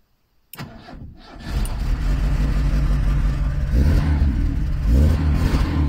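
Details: Lada Niva 1.7 after a no-start problem. The starter cranks briefly, then the engine catches, revs up a little and settles into a steady, even idle.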